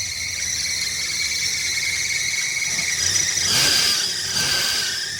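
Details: 1972 Chevrolet Nova with Holley carburetor, warming up after choke and idle mixture adjustment, with a leaky fuel pump noted: a steady high-pitched squeal over the engine, rising briefly mid-clip. Suspected slipping accessory belt near the chrome pulley, not confirmed.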